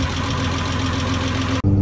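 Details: VR6 engine on its maiden drive after swapping in an AAA VR6 bottom end: short, even low rumble with no tapping or knock; sounds smooth and healthy.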